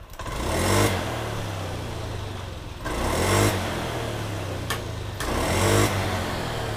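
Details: Honda Scoopy scooter after replacing the ignition coil for hesitation on initial throttle; three quick throttle blips rising cleanly and falling back to even idle without stumbling, fixed.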